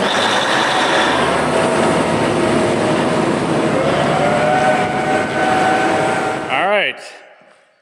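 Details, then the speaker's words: Diesel farm engine with cracked flexible tube from turbo to exhaust (or broken muffler), stainless replacement ordered: loud roar with raspy, hissy exhaust note; exhaust leak. "جو ٹربو سے ایگزاسٹ مین تک جاتا ہے یا مفلر ٹوٹ گیا ہے مجھے ایک نئی ٹیوب کا آرڈر دیا گیا ہے کہ یہ سٹین لیس سٹیل ہے"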